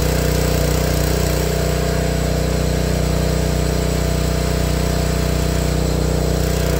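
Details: Honda GX160 log splitter engine after replacing the failing spark plug that caused popping when warm: even, steady low thump with no pops or misses, holding speed smoothly.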